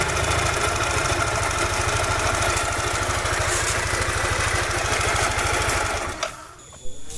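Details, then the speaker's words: Yamaha NMAX scooter at a rapid, steady idle: a harsh, gravelly rattle loudest at the front of the engine until shut off. "langsung dicek apakah yang bermasalah pada suara seperti ini kasar sekali suaranya tadi"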